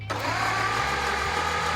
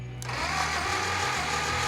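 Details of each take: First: Brass-era Ford Model T engine (4.5:1 compression) cranked by jumping the starter from a battery during a compression test: steady, even cranking with no firing. Number two cylinder reads zero compression, while another read about 45–50. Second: Brass-era Model T engine (4.5:1 compression) cranked by jumping the starter from a battery for a compression test: steady whirring crank with even low pulses; reading about 45–50 psi, acceptable for this old engine.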